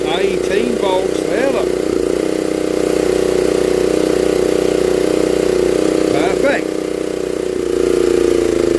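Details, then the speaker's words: 1960s Honda ED250 DC-only generator, likely not run in years, revived; DC output measured around 11.5–18 volts. Small single-cylinder engine holding a steady, even hum with no misses or knocks; running smoothly and healthy. "so we can run a good song about load on this a little bit on the video but don't she run extremely well"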